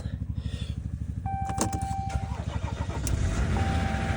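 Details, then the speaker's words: 2014 3.0 L EcoDiesel cold start at about 3°: a quick crank, a little smoke, then an even diesel clatter settling smoothly into idle; it starts easily, a normal cold start. "look how easy that thing starts better turn my heater on here you get a little smoke at start up this is the 3 l Eco diesel"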